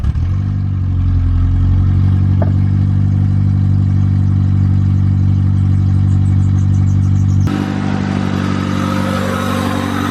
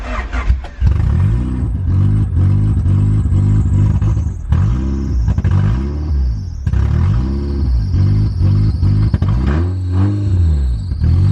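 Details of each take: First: EG8 first start after the build on a snowy day, with the idle air control valve cleaned to cure an earlier idle issue: steady, even idle that revs cleanly past 2K and settles back with no miss or knock. Sounds healthy; thermostat change still planned. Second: Honda EG8 Civic, first start: each throttle blip swells briefly then sags to a lumpy idle, never revving cleanly. Owner suspects an intake vacuum leak; codes flag O2, IAT/IACV and an unplugged VTEC solenoid.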